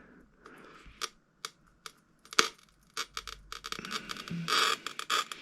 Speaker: can hear it. I'm not pressing too hard. You don't need to press too hard. Not going too quick.